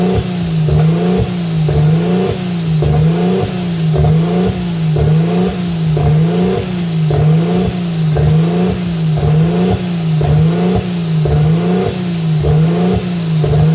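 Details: Nissan RB25 Neo with a high idle problem: idle hunts up and down about once a second in a steady rhythm; propane test ruled out a vacuum leak; the throttle plate was set too far open.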